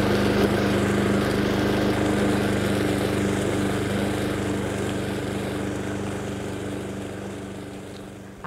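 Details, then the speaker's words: Honda Harmony II HRS216 lawnmower after carburetor service and tune-up, warm, at low idle: smooth, even low putter at a steady rate, fading slightly without stumbling or surging; idling healthily. "Một lần nữa, hãy chắc chắn rằng cô ấy bắt đầu khi cô ấy nóng. Ở chế độ nhàn rỗi thấp!"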